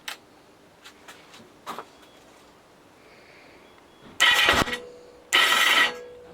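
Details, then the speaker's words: 1982 Kawasaki KZ750 LTD after top-end rebuild and carb float adjustment; scattered clicks then harsh whirring grinds as the starter spins without turning the engine, which eventually starts; slipping starter clutch. "the engine actually eventually starts um but you can just hear that the starter clutch is giving issues so it won't start in just one go"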